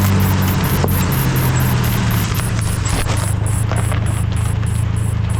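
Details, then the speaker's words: Brake disc rubbing while rolling: steady low hum with a faint rhythmic rub about two or three times a second, as the disc, possibly warped by overheating, catches the pad bracket or caliper. "esto es porque el disco puede estar rozando con el soporte de las balatas o con el caliper"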